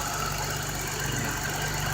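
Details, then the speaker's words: 1988 BMW E28 535is six-cylinder just after cold start, many new engine parts: even, steady idle with smooth low thrum and no ticks, misses or knocks; owner says it runs and drives very well. "the car does run very well and drives very well"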